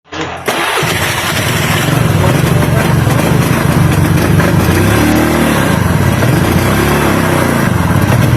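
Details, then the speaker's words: Honda Beat carburetor scooter: engine runs unevenly, exhaust beat stumbling and wavering with the rectifier (kiprok) connected and cannot ride; with the rectifier socket unplugged it runs normally; misfire under investigation via wiring checks. "Nah jadi begitu teman-teman penyakitnya ya ketika kiprok dipasang motor brebet gak bisa jalan sama sekali tapi ketika soket kiprok dilepasin motor itu lancar-lancar saja tidak ada penyakit apapun"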